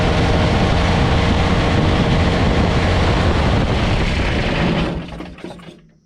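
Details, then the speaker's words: Kubota BX24 diesel tractor after fuel shutoff solenoid fix: steady even clatter about five seconds, then winds down and stops cleanly as solenoid pulls in; normal running and shutdown. "There, it shut off. Now it should come back out. As it did. So now we're ready for our next start."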